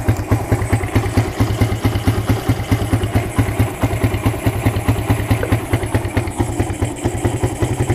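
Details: Suzuki Satria FU single-cylinder with PE28/PWL 28 carburettor, cleaned, main and pilot jets changed, air filter not fitted, during air-screw adjustment: quick fairly even idle thump with light clatter; carb seems set right and holds idle.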